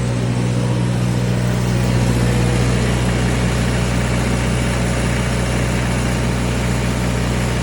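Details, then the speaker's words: 2011 Miller D550 HO CC/CV diesel welder generator after a full service (fuel and oil filters, oil change, fuel-water separator, air filter). Deep, steady drone with no misses or knocks. It previously struggled to reach high idle; now much better, normal idle. "Last time I tried firing this thing up, it struggled to like get to high idle, so this is uh a lot better."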